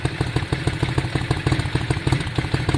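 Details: 2002 Yamaha Virago V-twin idling after carburettor cleaning and fuel tank clean, fuel primed back through, before air-fuel screw adjustment: deep, lumpy potato-potato idle with steady even thumps, no misses; idle up and sounding much better, normal idle.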